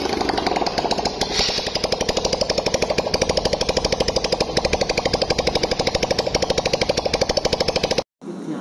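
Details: Honda CB 150F single after new piston, ring and cylinder kit and head valve installation, first start-up; quick, steady putter with an even beat and no knocks or misses until shut off; normal idle.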